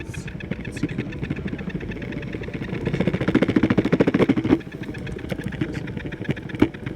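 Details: Backfire G2T electric drive: fast buzzy rattle over the motor hum swells for a few seconds, then eases back; unexplained strange noise.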